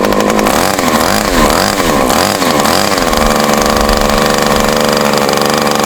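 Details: Super Tigre G90 glow model engine on a test stand, refitted with an OS No. 8 plug and running fresh fuel, leaks oil, possibly where the gasket is missing. High buzzing note wavers, then holds; rough running and hesitation, and it was leaned out too much.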